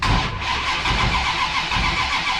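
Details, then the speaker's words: Ratty Challenger drag car with a 440 race engine, MSD ignition and mechanical-advance distributor: a brief, even crank with the ignition off that spins freely. With the ignition on it cranks hard, which the owner suspects is timing-related. "so if i have the ignition off which it is it cranks over fine"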